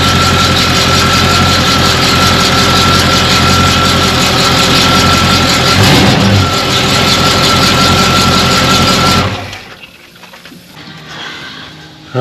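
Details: 1991 Chevy K5 Blazer 350 V8 with 700R4 automatic, idling after tightening loose torque converter bolts (only one was nearly tight): steady, even idle with the earlier deep rattly knock gone.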